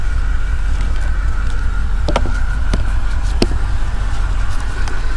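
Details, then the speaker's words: 2008 Mercedes CLK550 V8 from a salvage auction, first running after a new filter, idling with a lumpy uneven low rumble and occasional sharp pops: a misfire. "i can hear it's misfiring"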